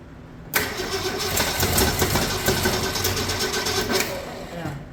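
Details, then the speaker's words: 1965 Mercury Comet Caliente, not run in 10 years, run on fuel spritzed into the carburetor with no fuel system; it catches and runs with a lumpy, stumbling beat and no steady idle, so rough running from ignition timing that is off. "Timing's definitely off a little. Okay, so I believe I've retarded it a little bit."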